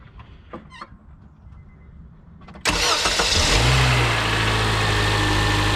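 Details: 2006 Honda Accord LX after a new starter motor was fitted: quiet, then a short, even crank that catches at once and settles into a smooth, steady idle. Normal crank and start.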